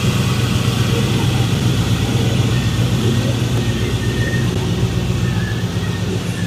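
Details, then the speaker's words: 2002 Chevrolet Silverado V8, cold engine with an aggressive cam, after the Y-pipe V-band exhaust leak was fixed: deep, even rumble with a slight lumpy cam note, no ticking or chuffing; normal idle. "it sounds a lot better when that exhaust leak not leaking."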